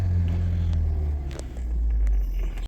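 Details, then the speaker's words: Ford 2.0L EcoBoost (listed as a 2016 Flex, described as a 2017 Edge) with P0012/P0015/P0017 cam timing faults, after repair: steady smooth low idle rumble with no misses, knocks or ticks; no check engine light, confirmed fixed. "let's confirmed fix there's no check engine light on this thing it runs good"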